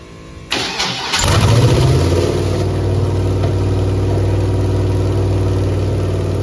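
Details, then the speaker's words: Chevrolet Camaro with Holley EFI-controlled 5.3 LS V8 at rough, loping idle: odd cylinders 3, 5, 7 show no spark while evens and number 1 fire; misfire from dead cylinders, cam sensor replacement next. "number one has fire number uh three does not have fire number five does not have fire number seven does not have fire"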